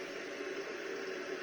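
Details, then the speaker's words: Volvo 240GLE turbo with LS2 swap, newly wired fuel pump relays, pressurizing the fuel system before first start: quiet steady electric hum with faint whine, pump working normally, about 63 pressure, a fitting drip found. "certainly noisy but i don't imagine i'll hear that over the engine"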